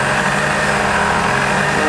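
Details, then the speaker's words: Supercharged vehicle (VF supercharger kit) after dyno pulls, intake manifold air around 140–147°F: steady idle with a mild rise and fall in engine speed; surging idle, cause not found, cold start sometimes rough. "Now you can hear it surging idle."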